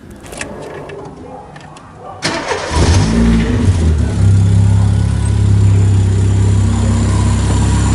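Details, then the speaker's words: Chevrolet Corsa Wind engine at start-up, exhaust tip modified: catches after a short crank, then a brief uneven rattly hum for about a second before settling to steady idle; cause unclear, thought possibly normal for Corsas. "eu notei que na hora que eu ligo esse carro ele faz um pequeno barulho ali sabe bem demora um segundo assim mais ou menos né"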